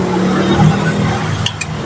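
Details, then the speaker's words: Yamaha Mio scooter, key on, battery confirmed good, with blink code 42 (speedometer sensor). The electric starter gives only separate sharp clicks and no cranking; the mechanic suspects the starter motor, as is typical. "Ini tidak bisa diarter padahal aki normal ya. Nah, guys, coba kita starter ya. Cuman bunyi cetak-cetek doang."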